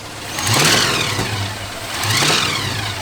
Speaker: It's knocking every time I give it any type of gas.